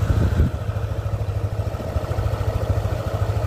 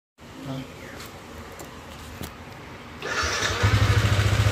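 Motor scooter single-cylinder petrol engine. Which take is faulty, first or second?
second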